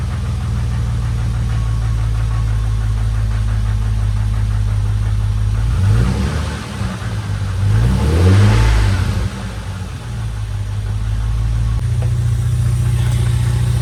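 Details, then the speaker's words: Lexus IS300 just after a valve cover gasket replacement: steady, smooth low idle with a brief rev blip and no ticking or misfire, with only slight startup smoke from oil in the cylinders; healthy. "Everything sounds good. Smoked a little bit on startup, but it wasn't too bad."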